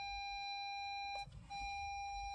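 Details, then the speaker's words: 2007 Audi A4 B7 Avant in reverse with nothing behind: a steady high parking sensor beep drones on continuously. One faulty rear sensor is suspected, needing bumper removal; not confirmed. "bipul ăsta se pare că se aude încontinuu nu vrea să funcționeze"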